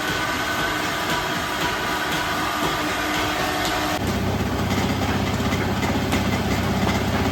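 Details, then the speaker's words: Old ship motor driving a single-phase rice mill, 195 V drawing only 9 A: loud even running hum with steady mechanical mill rattle, no labouring or surging; pulling load normally. Normal motor running. "দেখতে পাচ্ছি এখানে voltage 195 এবং 9 ampere মাত্র বিদ্যুৎ খাচ্ছে আমাদের মোটরটা।"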